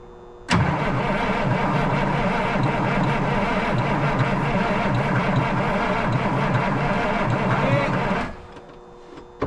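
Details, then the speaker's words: 1977 Peterbilt 359 diesel sitting 20 years: starter churns about three and a half beats a second for eight seconds without firing; only cylinders five and six get fuel, one shows air; crank no start, no fuel to injectors. "see five and six are ping oute fuel so they're good but the other two aren't or other four I should say see one you can see air coming out"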